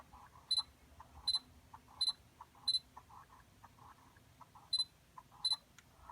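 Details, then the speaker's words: Sony G-Master 85mm f/1.4 lens on firmware 3.10, focus motor in a quiet room: short whirring buzzes with a sharp high chirp repeating about every 0.7 s. Abnormal focus motor noise persists after the update; owner considering returning the lens. "um they're still making that weird noise I used to have the baddest 85 millimeter 1.8 and I never had that issue with it"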